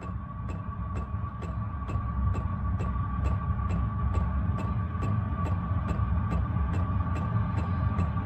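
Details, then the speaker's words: Heater run on a 12 V battery with charger at full blast during ignition: an even blower hum changes tone, with a crisp tick about twice a second from the dosing pump. It ignites and blows warm air; normal. "it's just ramping up now you can hear the uh the blower in the motor it's just changed tone"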